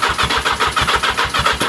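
Brisk even cranking, about eight beats a second, then it stops; starter spins the engine freely and strongly.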